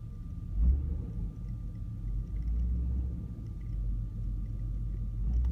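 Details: Car with hard morning starting, idling with long-term fuel trims high on both banks: deep low rumble that swells and sags unevenly every second or so; rough idle, owner suspects vacuum leak.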